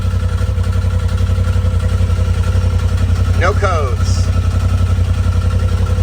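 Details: Polaris RZR XP Turbo, first start after installing a TPR valve cover, charge cooler, timing tensioner and full-flow kit: fires immediately and settles into a steady, even idle with a deep regular pulse, no knocks or misses.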